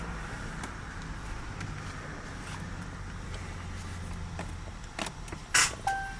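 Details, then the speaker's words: 2019 RAM 1500 won't start: brake pressed, dash and accessories come on, but there's no cranking, just one sharp pop on the start press, then chimes and a blind spot alert unavailable message. Cause unknown. "So you hear that noise right there. This is literally what's happening to it."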